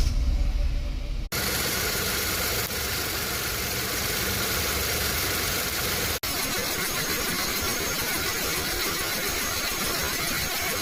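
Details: Hyundai HB20 petrol engine with hydraulic power steering, after fitting new 3PK steering and 5PK accessory belts, cranks, starts and settles into a steady even idle with no belt squeal.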